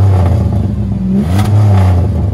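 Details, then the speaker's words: 2007 Chevrolet Impala, 13 years on the road, on a test drive: deep, loud exhaust drone swelling with revs, louder than stock; muffler suspected missing or exhaust modified, though the tips look stock. "this particular car is a little louder than it should be i mean it feels like there's either no muffler or it's been modified but the tips look stock so i'm not not quite sure what's going on there"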